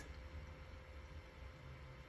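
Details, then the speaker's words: Hikvision recorder with replacement fan, cover off: soft steady hum, faint even tone, no rattle or bearing growl; clearly quieter than the original Chinese-made fan but not silent, runs constantly rather than on demand; normal. "i do hear a difference between the two um yeah i i definitely hear a difference i hear a difference but it's not silent"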